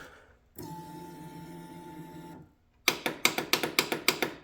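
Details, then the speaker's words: 2005 Polaris Sportsman 500 HO EFI after the starter solenoid was replaced: a steady hum, then about nine crisp, evenly spaced clicks as the solenoid engages properly, but the starter is dead. "you can hear the solenoids working perfectly but the starter's dead"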